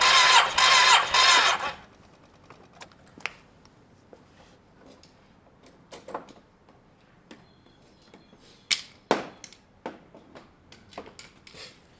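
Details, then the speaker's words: Yamaha TMAX scooter cranked with the spark plug removed and earthed against metal for a spark check: about two seconds of fast, even cranking with no firing, then handling clicks. No spark was seen. Crank, no start, cause unconfirmed. "So I'm going to tick it over and we'll see if there's any spark."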